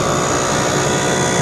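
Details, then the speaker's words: 1998 Jeep Cherokee heater blower with cracked squirrel cage (repeatedly glued, wired up): loud constant whirring rush with rough scraping edge as cage rubs housing. Blower motor squirrel cage rubbing housing; fix is blower motor replacement. "Well, if it does, it might be your blower motor. I've had a broken squirrel cage on the blower motor in my Jeep for quite some time now,"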